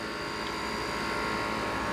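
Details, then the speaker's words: 460 VAC 3-phase water source heat pump compressor run on 230 VAC from a VFD, water 71°F in/72°F out, 7.2 A (over rating), 49 psi suction. Steady heavy drone with harsh electrical buzz straining as head pressure builds; labouring on undervoltage. "actually sounds pretty good as soon as it starts getting the head pressure up you can really hear the compressor start to love being that it's yeah under voltage"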